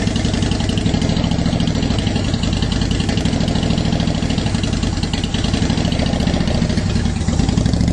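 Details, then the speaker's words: 2010 Honda Shadow Phantom after cleaning the fuel tank and fuel pump: steady, even low burble with no misses, surges or knocks; revs better; normal idle. "so there we go now we got kind of a steady idle going so i think that sounds a lot better it revved a lot better"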